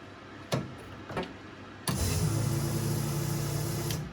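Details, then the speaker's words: MK1 Ford Fiesta with a Zetec turbo engine swap, key on before first start: a couple of soft clicks, then a steady electric whir for about two seconds that stops cleanly; the fuel pump primes normally, showing the ECU works. "You can hear the fuel pumps priming. That means the ECU is working as it should do."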